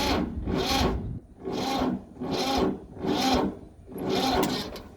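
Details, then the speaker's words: Ford 2600 diesel tractor, first start in years with injectors loosened for bleeding, on a second battery: slow, dragging crank about one compression a second, too slow to fire; owner suspects weak battery or dragging clutch, later found the clutch stuck. "battery just don't have enough strength though"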